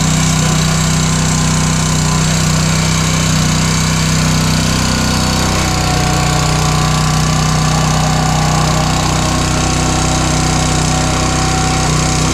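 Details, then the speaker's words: New Honda GX200 196cc engine replacing a Kohler on a log splitter, first start, choke on, throttle at mid; steady even single-cylinder putter with no knocks or misses, running normally. "Let's see if it starts. Oh, I love a Honda."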